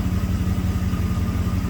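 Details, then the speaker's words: 1990 Camaro with 5.0 Tuned Port Injection V8, 29,000 km, that had a random misfire; idling while fuel trims are checked; low, even idle with a steady pulse and no skips; running nice and smooth. "the system varies the spark timing to stabilize the idle car seems to be running nice and smooth"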